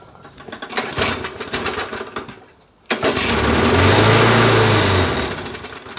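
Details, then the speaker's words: Briggs & Stratton 3.5 hp engine, dirty plug cleaned, carb cleaner sprayed: sputtering pulls, catches and runs rough about two seconds then dies; not getting fuel, cause unconfirmed. "And I took a little bit of carp cleaner and then it start but it will not stay run. So there must be something wrong."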